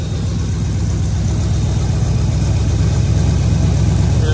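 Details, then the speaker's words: Chevy Mule with 350 V8 warming up before plugs and wires tune-up: deep idle with uneven, lumpy, irregular stumbling pulse; suspected misfire, not confirmed. "Y'all hear that? Y'all can hear it. Everybody wants to tell me what a misfire it's got."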